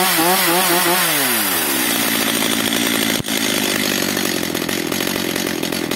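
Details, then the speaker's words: Stihl MS 230/250 chainsaw (probably owner-repaired earlier) that starts hard, stalls and runs unstably, with a very light pull as if low on compression. After leaning the mixture and raising idle, revs waver then a harsh uneven buzz holds; it runs only roughly. Filters fully clogged. "No i co widzowie widzicie pilarka jako tako chodzi"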